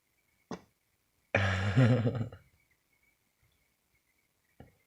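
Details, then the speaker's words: Pot lid popping and rattling as steam pressure builds underneath; sharp isolated pops and a one-second squeaky rattle, mistaken at first for a rat in the wall. "There's steam building up and it's pressurizing and it's popping the lid off. And I was hearing this noise, I thought I had a rat."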